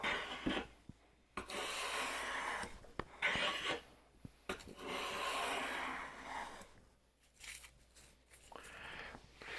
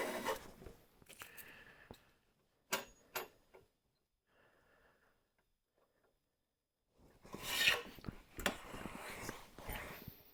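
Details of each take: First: WoodRiver #6 hand plane, blade about 0.122 in thick versus the Stanley's 0.078 in, making long, even shushing strokes across the board with no stuttering or skipping; thicker blade cuts cleanly without chatter. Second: Stanley hand plane, seldom used, compared against a WoodRiver: each stroke gives a rough, stuttering rasp instead of a clean hiss; the blade chatters, is hard to fine-tune and won't pull a smooth shaving.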